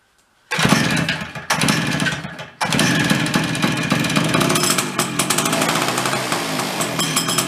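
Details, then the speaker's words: Late-1970s Chrysler Sno-Runner two-stroke, barn-stored 45 years, after repairs, cold start with decompression valve: fires after a brief stumble, then settles into a busy, crackling, steady run as it clears out; running fine. "good morning man it's pretty good it's gonna run a little bit get it cleared out"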